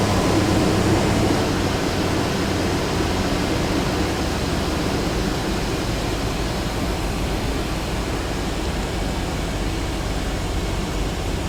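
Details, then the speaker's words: Dodge Durango 4.7 L, new mechanical fan clutch, right after cold start: loud steady whooshing fan roar over idle in full lock-up, easing within about half a minute; normal fan clutch roar after cold start. "ow the thing should run in the full lock up position so the fans gonna roar for a while but after a couple minutes of running it should settle down to a lower rpm as the fluid begins to settle into the different areas which it needs to be"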